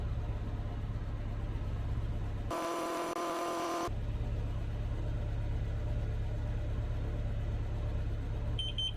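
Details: Carbon monoxide detector held at a running van's exhaust: low steady engine rumble, then high rapid beeping as it alarms, reading around 990 ppm.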